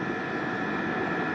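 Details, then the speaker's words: Diesel heater with battery-backup mod on 4 A charger, cranked to 7.2 at full temperature, exhaust very hot: constant fan rush with steady high tone, no surging or popping; running evenly at full output. "so let's Crank It Up to 7.2 and you can see the heater is running very well it's at full temperature and it's putting very very nice heat"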